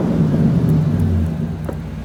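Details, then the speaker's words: Square-body Suburban with a newly swapped SBC 350 V8 on its first test drive, not overheating, oil pressure just under 40 psi: a deep, full rumble pulling hard under throttle, smooth with no knocks or misses. It is tame at idle and healthy under load. "Sounds awesome. It's very tame at idle, but man, it sure does get after it when you step on it."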